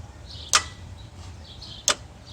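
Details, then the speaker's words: 2002 Dodge Ram 1500, hot, starter relay jumped with a bypass tool: two sharp single clicks about a second and a half apart, no cranking. Starter suspected failed. Starter click, no crank. "well first of all let's hit the switch and actually listen to that started just click"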